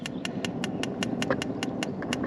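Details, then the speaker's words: Bailey motorhome fridge gas burner being lit: sharp, even igniter ticks about five a second over low hiss; clicking stops once the burner lights, normal ignition. "and if you know the burner's lit and you can probably hear it over them over the camera you probably won't see it because of the light but the burners lit because the ignition has stopped"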